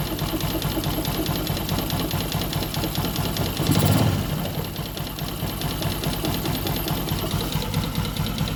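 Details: Newly bought Yamaha Jupiter MX, grey oil suggesting radiator coolant in engine: steady idle with faint irregular tapping under exhaust beat and one brief rise; strange noise, source unclear.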